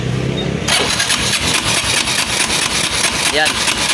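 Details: Kawasaki KLX 150 motorcycle brought in with no electrical power and won't run: starter spins the engine at a steady even rhythm for several seconds but it never fires; crank-no-start, troubleshooting with test light and multimeter pending, cause not confirmed.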